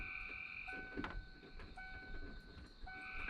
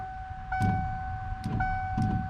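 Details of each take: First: 1993 Ford F-150 after wiper motor replacement, wipers on low: light whirring hum with even sweeps about once a second, motor running smoothly; normal operation after repair. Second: 1993 Ford F-150 wiper motor on a higher knob setting, wipers not moving on the first notch: loud steady whine with heavy surging thumps about every 0.7 s as the blades sweep; failing wiper motor.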